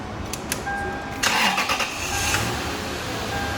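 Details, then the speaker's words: Toyota 4Runner 4.7L 2UZ V8 on bare frame, first restart after a shorted main ground was found and fixed; starter cranks briefly, engine catches cleanly and settles into steady idle with no ticks; no cooling fitted, so run briefly. Normal start. "she runs so we have a running and driving frame can't leave it running long because i've got no cooling in it but she sounds good there's no ticks it's awesome"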